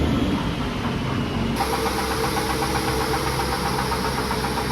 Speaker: Just want to say as well, okay, after playing back some of this footage, you can hear like tick, tick, tick, tick, constantly, okay, on the dyno. That is not the noise I'm describing, and that is not the engine, okay? That is the dyno, that's the wheel when it's making contact.